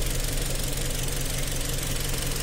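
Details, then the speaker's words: 2012 Hyundai Tucson (Paraguay), 2.0 four-cylinder DOHC, automatic, 93,000 km: a loud, low idle with an uneven, lumpy beat as one cylinder drops out; a misfire, injector or spark plug suspected, not confirmed. "é um 4 cilindros 2.0 eu HC duplo comando de válvulas é que tá falhando um cilindro dá para ver no no no bater do motor"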